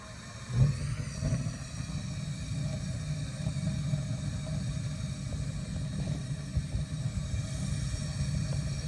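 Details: Williams gas wall heater after its thermocouple was replaced, lit and turned on: a low, steady rumble with no popping or flutter; the burner runs cleanly.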